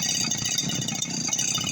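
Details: RBC411 two-stroke brush cutter that wouldn't start after being left out in rain and sun. It ran once started correctly with the switch set to 1 (on), with no repair. Light, quick buzzing idle holds steady without hunting or dying; normal idle.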